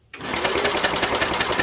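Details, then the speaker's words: 1967 Unico 7hp tractor, idle 27 years, starter-generator cranking after carb rebuild and oil in cylinder, parking brake on: quick even cranking pulses, steady and strong, "rolls over beautifully"; normal cranking. "Oh yeah. Rolls over beautifully. I'll tell you, that is nice."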